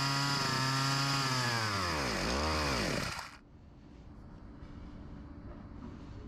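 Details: Husqvarna 254 G chainsaw, discarded saw under repair, after fuel line replacement and carburetor pressure test: runs briefly, then pitch sags and wavers and dies within seconds; fuel starvation. Tank cap O-ring and carb membranes later replaced.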